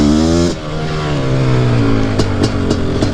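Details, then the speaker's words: Nearly stock Suzuki QuadZilla LT500R two-stroke, PWK-style carb, jetting revised: revving hard with a deep tone and some uneven popping at the top of the rev range. Breaking up up top, probably still slightly rich. "but the jetting feels way better you hear it it's breaking up a little bit up top i think it's still maybe just a little bit rich"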